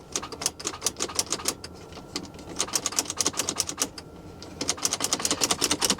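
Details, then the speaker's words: Lincoln MKX with CVT, salvage auction car, weak battery and corroded terminals, black oil: rapid bursts of sharp dry clicks and no crank; likely a starter not fully engaging, locked or hydrolocked engine not ruled out. "Sometimes you get a starter that's just a little sticky. You can just click it, click it, click it, click it, and get it to turn over. In this case, that is not the case."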